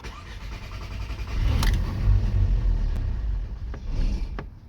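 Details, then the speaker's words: Skoda Octavia 1.8 TSI turbo, hot engine around 105°C: cranks briefly, fires roughly with uneven low rumble then fades and may stall; fine when cold; high-pressure fuel pump seizing when hot, showing only 7 bar. "на прогрітому добре авто вона Погано заводиться І може ось глохнути"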